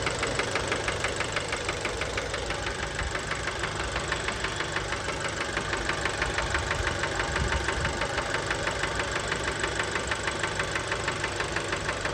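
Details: Fiat Bravo 2, 1.4 T-Jet 150 HP, 215,000 km, recently serviced, recorded close to the engine at steady idle: a sharp, even knock about three times a second. Worn rod bearings knocking; cause unknown, car scrapped.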